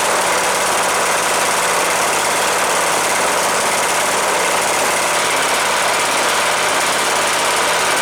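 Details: Cub Cadet LTX 1045 Kohler Courage single-cylinder engine after counterbalance repair for knock (ran out of oil) and oil change: steady even hum with no knocking or irregular beats; normal running.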